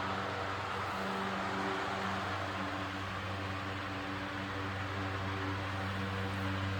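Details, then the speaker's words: Antique Roto-Beam 20" circulator fan, circa 1937–1940, converted from wall mount to pedestal, at full speed. Smooth, even low hum with a steady airy whoosh and no rattles. It runs fine and fairly quiet; the startup rumble points to worn bearings. "but other than that when the Fan's up to speed it runs perfectly [Applause] fine fairly quiet"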